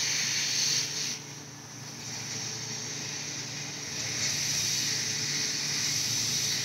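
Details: Astro Pneumatic 7856 air-powered cooling system pressure tester on shop air, set to about 15 psi: steady high-pitched hiss rising and dipping slightly with flow; air apparently leaking at a connector, suspected, not confirmed.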